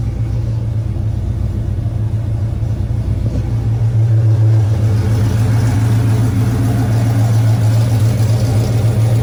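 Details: Camaro rebuilt 6.0 V8, first run after rebuild: deep, even idle with slightly lumpy cam rhythm, 60 psi oil pressure, smoke burning off, no knocks or misses; idling cleanly.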